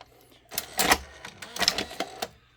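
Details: Sony SLV-575UC VHS VCR, loading test with a test tape: quick run of light clicks and short motor whirs as the cassette threads, with no grinding; the loading mechanism works fine.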